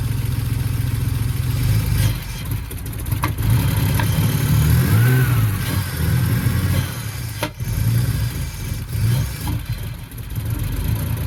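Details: BMW E46 with a replacement 2.5-litre six bought cheap after the original had zero compression; first run after the swap: deep, throaty six running steadily with throttle blips and no knocking. Normal running, sounds good.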